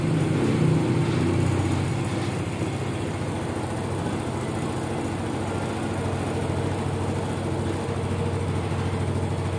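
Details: Mio Soul i 125 scooter started after throttle body cleaning and reassembly: settles into a steady low idle with a slightly uneven beat, no rattle or knock; normal idle.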